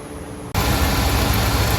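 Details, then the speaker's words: Steady V8 rumble settling into an even idle with no misses or knocks on a square-body Chevy C30 Mason dump truck, run after an under-hood fire melted the harness and carb; warmed up before an oil change, runs well. "no complaints on the old girl she sounds good"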